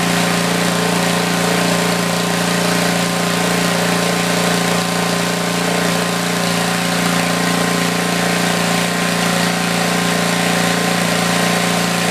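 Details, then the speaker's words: Tecumseh 4,000 W generator, 8 hp engine, small drill load; steady constant-pitch drone with exhaust fan whoosh behind. Normal running under load. "Okay, I have no doubt on my mind that it's a good power head. It's doing pretty good."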